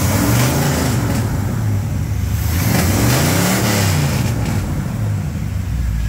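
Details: 1987 Chevrolet K10 4x4 truck, first run after blown head gasket replacement, warming up: deep, fairly even V8 burble with a small throttle blip around three seconds, idling steadily with no knocks or ticks; normal idle.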